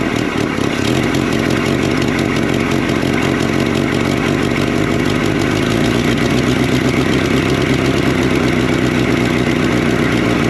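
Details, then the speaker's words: 1964-67 Toyota Stout pickup, 3R four-cylinder, abandoned since 1984, first start: smooth steady idle, no misses or knocks, not smoking; normal idle. "Sounds good. They're idling. Not smoking."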